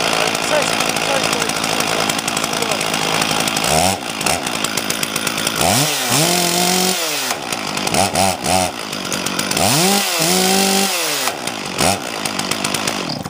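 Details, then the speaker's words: Small chainsaw started cold on the ground, full choke then half choke, then warmed up: steady two-stroke buzz, clean revving up and down with no misfire or stumble; everything fine, normal running. "Okay, everything seems to be fine with that saw."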